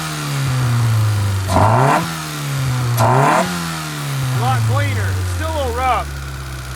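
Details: 1991 Honda CRX Si barn find, sat 10+ years, engine full of diesel, after tapping two stuck injectors free: idles fine now, but revs climb and drop twice with a slightly ragged, uneven note while leftover diesel in the cylinders burns off.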